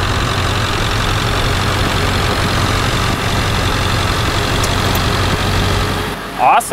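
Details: 1999-2007 Ford F-350 7.3L Powerstroke diesel after new fuel pump install and priming: steady low diesel clatter at an even idle, no stumble or hunting; healthy.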